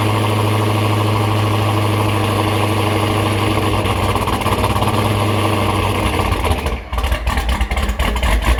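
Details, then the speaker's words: Dodge Charger Hellcat V8 with Hellion twin-turbo kit, after exhaust fabrication and flange change fixed earlier exhaust-leak ticking: strong, steady idle with even low rumble and a blip, no ticking or puffing; turbos now audible, engine quiet. "That was all exhaust leaks. But now, listen. You guys hear how quiet the motor is? Listen. Wow, you can hear the turbos more and everything."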